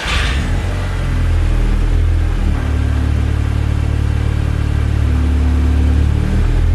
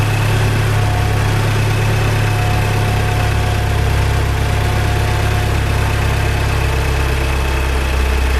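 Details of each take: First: Salvage Audi A3 2.0 TFSI after the coolant hose and CV boot were replaced: a steady, even low rumble with a smooth settled idle and no knocks or misses, a normal idle. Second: Salvage Audi A3 2.0 TFSI run nearly to operating temperature: steady idle with light uneven tick about a hundred a minute from one side of the engine; owner suspects the fuel pump, source unconfirmed.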